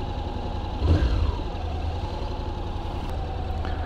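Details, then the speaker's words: 2021 Honda NC750X DCT, after the recall ECU fuel-injection update: a quick throttle blip picks up cleanly with no low-end hesitation, then settles to a steady, even idle. Throttle response is normal. "the throttle definitely seems smoother now there doesn't seem to be that little hesitation you know right when you open the throttle"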